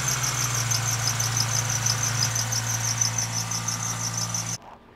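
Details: Toyota Celica 1ZZ/2ZZ engine at idle: high, chirping serpentine belt squeal pulsing about three times a second, starting suddenly after the car sat a week on a fairly new belt; traced to a misaligned crank pulley.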